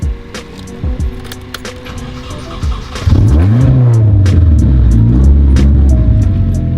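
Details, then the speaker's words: Car after hurricane and crash damage repairs, third start attempt: a few seconds of steady cranking, then it catches, revs up and settles into an even idle; starts and runs fine. "Well then, it works. It lives."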